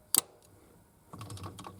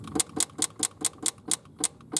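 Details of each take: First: 1971 Triumph GT6 MK3 with Laycock D-type overdrive, after fixing a loose connection that made it cut out: one sharp click, then light mechanical rattle as the overdrive engages normally in third and fourth gear. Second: 1971 Triumph GT6 Mk3 with Laycock D-type overdrive, slow to engage and rarely working in 3rd: sharp, even clicking about four times a second as the solenoid drops out and re-engages while the gear stick and cables are wiggled. Damaged cable with exposed copper not confirmed as fault.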